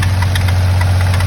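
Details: 1991 3000GT VR4 at start-up: steady low idle drone with a faint, light tapping on top; weird abnormal noise at idle, source not pinned down.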